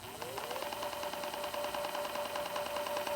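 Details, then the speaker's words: Inboard M1 electric skateboard hub motor: rapid ratchet-like clicking over a rising, then steady motor whine in beginner mode, worse in second mode; only this one motor affected. "just have a problem with the clicking noise in this motor right here."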